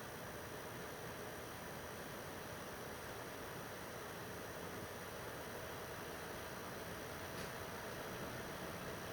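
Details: PS4 Pro 3rd gen 7215B, only dusted, no new pads or paste, running a taxing game: quiet steady airy fan rush rising slightly under load, no rattle or whine, not that loud, as expected; normal console fan noise under load.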